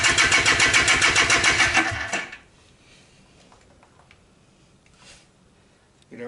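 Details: Barn-find Polaris Xplorer 250 two-stroke on 40:1 premix, cold start in gear after a carburetor clean that still leaks fuel: fast, even popping for about two seconds, then it cuts to silence. Cause unconfirmed.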